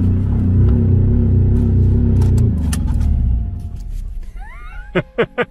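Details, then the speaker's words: Crash-damaged project car with a shattered intake manifold and a sensor plug, possibly the mass airflow sensor's, pulled completely off, oil level checked good: lumpy, uneven running with a wavering beat near four per second before it stalls, caused by the intake leak and unplugged sensor. "so two reasons why this thing sounded like crap when it started up the intake manifold being shattered we knew that and then the i don't know if this is the air mass airflow sensor sure to plug completely off"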